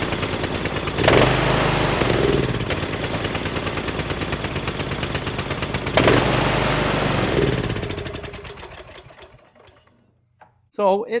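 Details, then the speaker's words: Cub Cadet LTX1040 with Kohler Courage single after an engine fire, carb loose on spacers, no air filter housing: thumps steadily, then slows and dies once choke is off. Won't run without choke, needs carburetor work. "starts it sounds okay it won't keep running without choke so um so sounds like sounds like it runs fine it'll need a bit of CB work"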